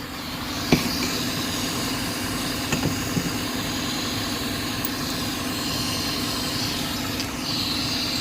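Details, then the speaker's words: 2006 Cadillac STS 4.6L at idle with codes P1101 and P0068 and low mass airflow readings: a constant airy hiss from the rear of the intake that sharpens near the end. It is a vacuum leak where a hose clamp cut through the hose. "It sounds like we have a leak back here, guys. I don't know if you can hear that. Definitely sounds like a leak."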